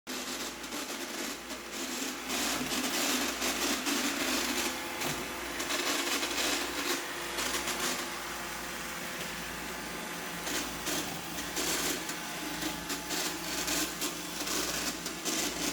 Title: Roomba 860 making clunking sounds on hard floors, not on carpet